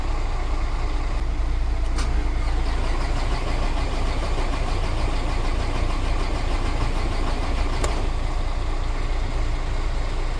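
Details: Mercedes Axor diesel truck after engine harness repair: starter turns the engine over in steady rumbling rhythm throughout but it never catches; crank, no start, mechanic wonders whether it has fuel.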